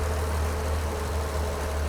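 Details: 1943 Chevy Blitz truck engine idling after carburettor adjustment gave it enough fuel; deep, steady low rumble with no misses or knocks, smooth even idle; normal idle.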